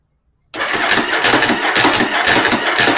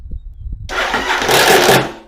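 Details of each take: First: Starter after installing Bendix clip clamp on drive gear, battery boosted: steady, even cranking about two turns a second, slightly slow, no slipping or grinding, starter stays engaged; normal cranking. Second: Engine with one spark plug in for compression and no ignition, before the Bendix Clip Clamp: one short turn of about a single revolution, then a loud whirring spin-out. The starter drive gear kicks out under compression.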